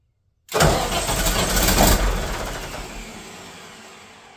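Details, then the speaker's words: Katolight 110 kVA diesel genset that wouldn't start in auto or manual, on a temporary line: catches with a sharp burst, then a steady even diesel drone that quiets as it eases down; runs, normal running. "It runs. I'll wait till my dad and my brother get here to test it, test all the voltage and stuff."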